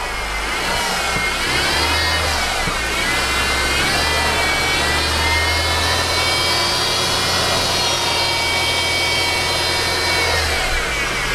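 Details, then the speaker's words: Mercedes engine running with the hood open: a high, dental-drill-like whine rises and falls with revs from a worn idler pulley bearing, not the timing chain or variable timing gear. "you can hear another whining kind of like a dental machine okay let's give it gas"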